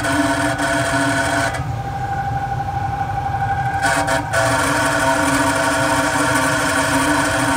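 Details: Carrier Weather Maker 800 TS furnace: steady loud rough hum with gritty tonal drone and fluttering grind throughout; worn blower motor bearings, blower motor needs replacement.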